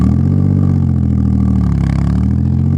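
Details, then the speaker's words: Audi S4 after home exhaust modification: deep, even low rumble at steady rhythm with no rasp or clatter; still loud but healthier and much better than before, little drone. "Then it actually does sound quite a bit better. And to be honest, it's still quite loud, don't get me wrong."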